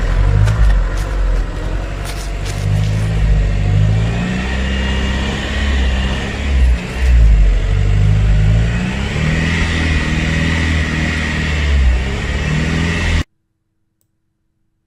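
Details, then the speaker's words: 2003 VW Passat TDI, AVB diesel, hard to start: a sluggish, labouring crank of about four beats a second for several seconds without firing. The mechanic says a diesel needs a strong starter and battery; cranking this slow can never start it. "هذه دورة راهي ما تخدمش موتور مازوت. موتور مازوت لازم يحب دمرار قوي وبطارية قوية."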